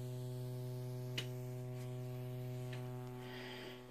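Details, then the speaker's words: Alesis Sample Pad 4 after factory repair, first use, mono main out: steady low electrical hum with a buzzy edge that doesn't change with the volume control. Owner suspects a grounding or design issue; the notorious main-output noise is not fixed. "the buzz is independent of the volume so I can turn the volume up and down you can still hear the buzz it's like a grounding issue in the design somewhere"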